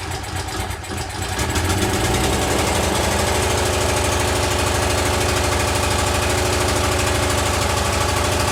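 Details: Exmark commercial walk-behind mower with oil filter, started on choke with air filter off; engine catches and runs with a steady rhythmic beat that hunts slightly, lean surging from starved fuel.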